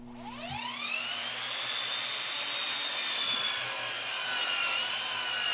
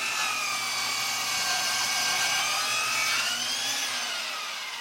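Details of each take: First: Dovaman DMS01C 10-inch sliding miter saw making a 90-degree cut through 3-inch pine in about six seconds: the motor whine spools up and holds a high, steady pitch with no bogging or chatter. Normal saw cutting under load. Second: Dovaman DMS01C 10-inch sliding miter saw cutting pine at a 45-degree angle: the high motor whine sags as it loses a lot of rpm, then climbs back as the cut finishes. Motor bogging under heavy load.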